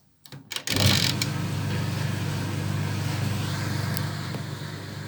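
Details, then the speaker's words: 1970s Creda Compact 3 tumble dryer, 41 years old, original plug, timed dry: motor starts with short clatter then steady low hum, even drum rumble, no knocks or squeal; normal running, quiet and smooth. "And I'm going to turn it on, and I'm just going to show you just how smoothly it really sounds."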